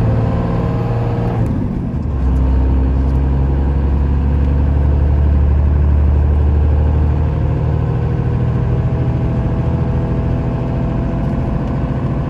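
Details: 1995 Dodge Ram 3500 dually 4x4, 12-valve 5.9 Cummins diesel, five-speed manual, 45k miles, fully serviced, climbing a hill after a gear change: deep even diesel drone, no chirp or grinding; normal running under load.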